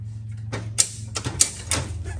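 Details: 1970s EZGO golf cart internal starter-generator with worn-low brushes: a few sharp dry clicks over a low electrical hum; starter engages but motor barely turns, slightly better in reverse and after rotating it by hand.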